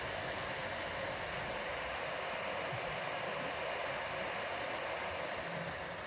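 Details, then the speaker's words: PC power supply fan after cleaning and maintenance, with clean blades: a steady, even airflow hiss with minimal, normal noise and no rattle or grinding. Before maintenance it was as loud as a helicopter. "ahí se ven las aspas completamente limpias y escuchan el ruido es mínimo el ruido es el natural"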